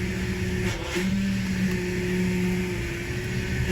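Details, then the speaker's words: Power steering pump whines over the idling engine while air is bled after pulling 20 inches of vacuum, front end raised, wheel being turned lock to lock; whine already getting quieter by the fifth turn. "So let's start it up. Okay, now you can hear that whining sound going."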